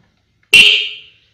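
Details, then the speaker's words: Motorcycle wiring harness powered from a 12 V bench supply for a wiring demonstration: after the starter test, the horn gives a single bright, buzzy blast of about half a second, clean and strong, so the horn works normally. "Ini kita hidupkan starternya, hidup, dan kita hidupkan lagi klakson,nya hidup seperti itu."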